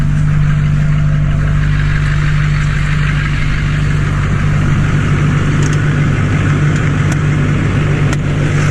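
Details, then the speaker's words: 2004 Chevy Silverado 2500 with an LB7 Duramax, K&N cold-air intake and MBRP 4-inch straight-pipe exhaust, hood open, heard walking around toward the pipe: steady, even diesel clatter with a deep, smooth hum and no misses or knocks, a healthy idle. "nothing like the sound of diesel guys it sounds really good especially coming around to this straight pipe very nice sounding truck"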